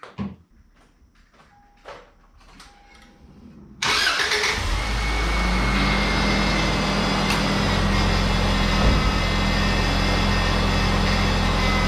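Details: Second-generation Subaru Outback 2.5 L boxer four after power steering pump replacement, reservoir overfilled: quiet clicks, then it catches into a steady, even idle with a faint steering pump whine, no leaks; normal idle.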